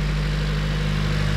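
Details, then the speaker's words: Honda Civic after fuel filter change, oil-fouled spark plugs noted: starts right up and idles steady and even with smooth low hum, no knocks, misses or hunting; normal idle. "oh yeah once I once I change the fuel filter it started right up I have to go back and kind up a little bit it sounds good"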